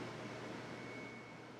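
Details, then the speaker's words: Commercial rolling portable air conditioner in a shop, switched on by its thermostat; steady, even blowing roar with a faint high whistle, no surging or knocks, normal running though loud. "it's on the thermostat and it'll just kick on and make all kinds of noise so and I'm walking over here so you can hear me better"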